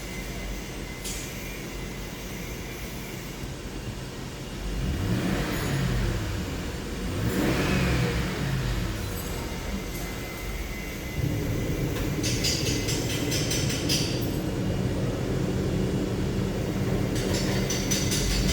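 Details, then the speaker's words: 2007 Lincoln Town Car V8 petrol engine after replacing faulty number 7 ignition coil and clearing codes: idles and revs evenly with no stumble, misfire gone; other coil codes came from unplugged coil connectors. "तो अभी miss fire नहीं है गाड़ी में ठीक है सात number coil का इशू था वो क्लियर हो गया"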